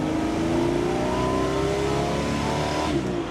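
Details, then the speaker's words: Ford Bronco after unhooking the vacuum line from the washer bottle line, on a test drive: it pulls smoothly through the upper revs with no cutout at the top end. It idles better, though it is still not at full potential. "it's not cutting out on the top end all right we're not losing heat dude it sounds like it's idling better"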